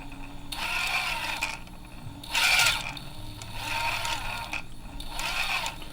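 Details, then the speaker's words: SEQURE ESCape32 (AM32) ESC with 1800kv brushless outrunner in a Vanquish 1/10 RC crawler, tested indoors: whirring motor at low throttle with an audible abrupt tonal shift as drive jumps from sine wave to pulse width modulation. "another thing that I did notice was the jump between the sine wave to the pulse width modulation is you can hear it change from the action"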